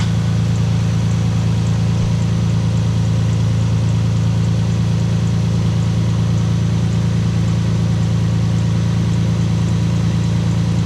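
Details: Lexus IS200 idling after an oil and filter change: steady, even low idle with no squeal or chirp over the top; the earlier belt noise can no longer be heard.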